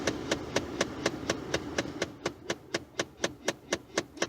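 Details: Ford F-150 with sharp, even clicks about twice a second behind the dash while the AC only blows through the defrost vents at any setting; owner suspects a faulty blend door actuator, not confirmed.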